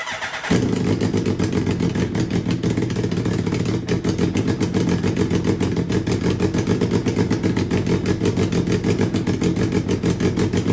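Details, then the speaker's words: Turbocharged Suzuki Hayabusa motor with a Power Commander/AutoTune piggyback, first start after a head replacement: engine runs rough and super rich, with an uneven, lumpy beat and a stumbling pulse at idle. "first start engine is running rough and super rich"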